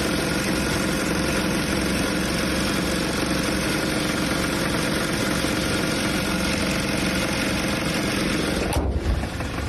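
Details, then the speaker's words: Kia Optima with stalling and running problems at idle: rough running with a dull, irregular knock about three per second, then it cuts out; suspected engine bearing failure, not confirmed. "it totally sounds like she has engine uh bearing failure that's what it sounds like to me"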